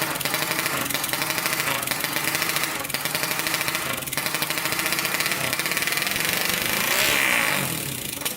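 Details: 1999 Honda 400EX quad, newly turbocharged with carburetor, first start: single cylinder thumps raggedly with a stumbling beat and hiss, misses rather than pulling cleanly; oil/fuel supply uncertain, cause suspected, not confirmed.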